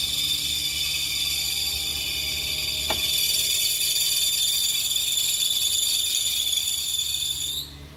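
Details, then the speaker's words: 2003–2008 Infiniti FX35 3.5L cold start: loud, piercing belt squeal holding steady for several seconds then cutting off abruptly; smooths out after initial seconds and absent when engine is warm; cold-start belt squeal. "So just to give you guys an idea as to what this vehicle is doing, on initial startup, for the first few seconds it does give a loud squeal."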